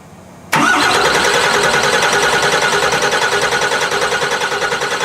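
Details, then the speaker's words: 2008 Ford Super Duty diesel, first start of project, ether sprayed into intake to spin VP44 injection pump: abrupt catch and loud, uneven clatter settling slowly as air is purged from the airlocked VP44. "Running, motherfuckers. Just saying. We just gotta get all the air."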